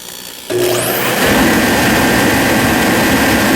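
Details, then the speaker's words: Forced-air diesel/kerosene heater after air/fuel pump repair, pressure at 12 psi, fuel suspected of holding water: quiet, then a whoosh settling into a steady even roar without sputter; running properly. "you'll see and it may spit and sputter like I say I think this fuel's got water in it but uh it does seem to be working so I'll turn it on there"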